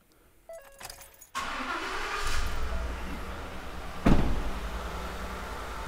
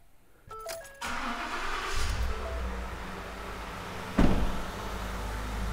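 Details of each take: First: Carnage Diagnostics misfire demo, V8 with ignition coil unplugged on cylinder eight: lumpy, uneven idle beat as one cylinder is dead from no spark. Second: V8 engine with the spark plug reinstalled and scope clamps on the coils and injectors during misfire diagnosis. It cranks, catches within a second and settles into a steady, even idle with no miss: normal idle.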